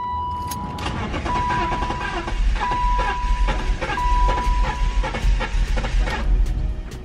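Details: BMW X5 cranking with a fresh battery: steady rhythmic cranking with a few uneven catches and a chime, but it never runs. Not the starter; spark plugs suspected.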